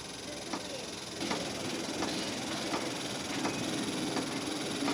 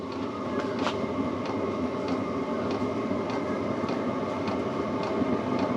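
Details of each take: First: New cheap Chinese diesel heater test run in cold: faint even fuel pump ticks about every 0.7 seconds over steady fan hiss, but no heat and no ignition; heater keeps shutting down. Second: New Chinese diesel heater on its first test start: steady fan and burner roar with the fuel pump ticking about every half second, though little heat yet.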